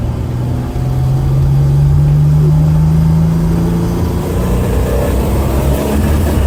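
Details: L36 Grand Prix (GP) misfire under acceleration, some runs with a BOV and some without; loud low drone climbing with an uneven, stumbling pulse; cause not identified.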